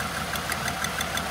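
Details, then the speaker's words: Idling engine, checked by pulling leads one at a time: pulling the number one front cylinder lead barely changes the ticking, uneven idle, and it is still sparking; spark plug suspected; engine misfire. "so it's this front one number one yeah you can hear it gets sadder when you remove the good ones"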